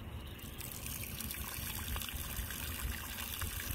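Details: Rule Tournament Series 800gph livewell pump tried as a boat washdown pump: only a thin, uneven trickle with no strong flow; not pushing enough pressure, so it was replaced by a SeaFlo 55 Series 70psi washdown pump.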